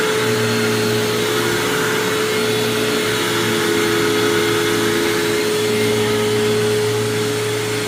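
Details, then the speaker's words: 1999 Hoover WindTunnel self-propelled upright vacuum, model U6425-900, sitting in running position; steady motor whir with rough gritty grind, constant, gone when lifted and set down again; cause unknown. "it just makes that weird grinding noise you just heard but it doesn't do that when you lift it up and then put it down like it is now"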